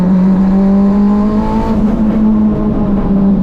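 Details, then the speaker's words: K24 AWD Honda Civic turbo drag car: loud revving drone with uneven, lumpy undertone; runs and sounds rough below 7000 rpm, worse than before, turbo spooling louder; manifold suspected but cause unconfirmed. "below 7000 RPMs it just feels like crap it sounds like crap and it like kind of did that a little bit before but not as bad"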